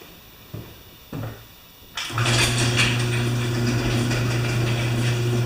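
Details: Nearly new Briggs mower with the newer plastic carburetor that had been starting then stalling: a couple of pull-start tugs, then it catches and settles into a steady, even drone without surging or stalling.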